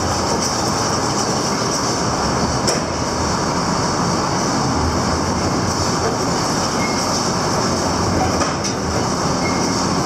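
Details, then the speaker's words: Hesston 4910 baler running after repairs: constant heavy rumble with a thin high squeak on top, caused by stuffer fingers rubbing a band they pass through; band moved over slightly to fix. Separate banging noise was something else. "The squeak, we know what that was. That was just the stuffer fingers going in and out of one of the bands it was touching."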